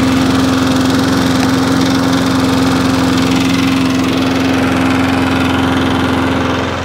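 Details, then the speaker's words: Free Wolf petrol lawnmower, about 21-inch, now starting in 5–6 primer pumps and running at a smooth, constant speed with a steady buzz, no stumbles or surging; normal running. "So, it's now all running, which is good. It wasn't beforehand."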